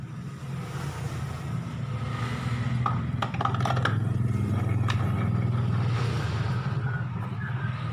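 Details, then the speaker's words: Honda Vario 125 CVT, cover off, pulley spinning unloaded; rough, gritty rumble under engine note. Worn plain ball bearing inside the pulley (of its needle and ball bearings) blamed; fairly new bike, noise appeared after air filter change. "Hai dengaran ya kasar sekali ini berarti telah er yang di dalam sini nih ini biasanya lahir Reang biasa ya yang kena"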